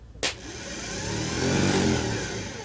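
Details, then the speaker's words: Starter from a 1985 Ford F8000 with a Caterpillar 3208 turbo diesel V8, tested on the bench: a sharp click, then a labored whir that winds up only slowly. The solenoid was diagnosed as the main issue. Slow starter motor spin. "you hear how slow that's trying to turn that's rough wow that sounds really bad"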